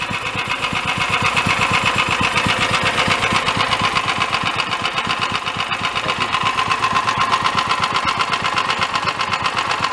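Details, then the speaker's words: Bottom end knock on a small single-cylinder dune buggy engine running slightly lean with no air cleaner, after idle and mixture adjustment. Dull metallic clank about four times a second; oil had been low and was topped off. Cause suspected, not confirmed. "sounds like the bottom end is a little clanky to me though and I did top it off with oil it was low"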